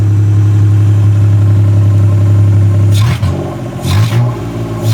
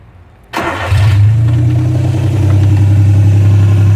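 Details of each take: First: South Korean 800cc three-cylinder OHC microvan idling and revving with no muffler and no catalytic converter: raw blatty idle with deep throb, revs crackle and bark; small vacuum leak on the custom manifold noted; loud exhaust from missing muffler. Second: South Korean micro van, 800cc 3-cylinder OHC, no muffler or catalytic converter, small vacuum leak at the manifold: cranks briefly, catches and settles into a loud steady idle with a deep even exhaust throb, no knocks; normal start and idle.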